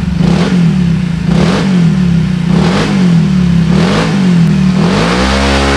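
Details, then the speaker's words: Scooter CVT after service that cured a clunking/vibration noise at idle and on throttle; throttle blips now clean, pitch rising and falling smoothly with no clatter from the belt drive; normal CVT under revving. "bersih ya enggak ada suara klotok-klotok yang dari sebelumnya itu ada suara kalau di Idul kita buka ke Shadow suara getar atau Klotok sekarang bersih"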